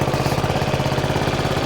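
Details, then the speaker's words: Honda Forza 125 scooter at idle during starter-alternator replacement: a sharp, rapid, even puffing tick rides on the beat; exhaust is leaking from a large hole at the O2 sensor. "And, uh, sounds like he's got an exhaust leak. Maybe not. Yeah, he's got an exhaust leak. Yeah, got a hole in the exhaust for good measure right there. Quite a big one actually."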